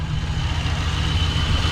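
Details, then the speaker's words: LS-swapped square body 3+3 V8 with Holley Terminator fuel injection, warm (about 165 degrees), idling around 850 rpm after being shifted in and out of gear; smooth, steady low idle, no stumble or misfire. Normal idle. "We put it in and out of gear a few times. It still idles, doesn't stumble, doesn't stall. It's amazing what these Terminator systems can do."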